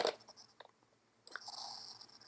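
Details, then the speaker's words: Foscam FI9821W wireless IP camera speaker crackling static during live video, stopping when live video is switched off and with antenna removed; owner suspects wireless signal interference; sharp pops and uneven crackling hiss. "so now it's crackling so I was thinking okay"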